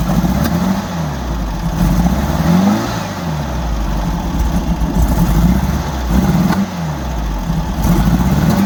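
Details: 1964 Volkswagen Beetle air-cooled flat-four, in neutral: throttle blips with sharp pops around each rev, worse under load or acceleration; owner thinks from the carbs but unsure; backfire cause not confirmed.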